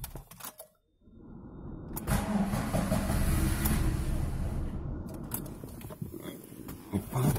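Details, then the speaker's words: Lada Priora petrol engine starts and idles evenly with a light, regular tick from the top end, louder than before. Head teardown found worn camshafts; the owner suspects the exhaust camshaft side. Earlier bearing shell replacement did not cure it. "На видео, я думаю, там слышно, как цокает. Так двигатель работает ровно, все. И, мне кажется, звук исходит со стороны распредвала выпускного."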